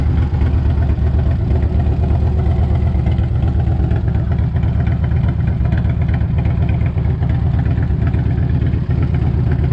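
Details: 1998 Harley-Davidson Electra Glide Classic, almost 100,000 miles, very hot engine, idling right after an oil change with 20W-50 Valvoline VR1 to fill the new filter; deep, even loping thump, no knocks or rattles. Normal healthy idle.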